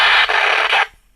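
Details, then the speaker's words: Imitation National/Panasonic pocket radio using an amplifier IC, before repair: a harsh, steady hiss and crackle for under a second, then it cuts out, with no programme audio; a capacitor is suspected. "يعني انا سامع صوتها يا جماعه طقطقه بس ما فيش صوت"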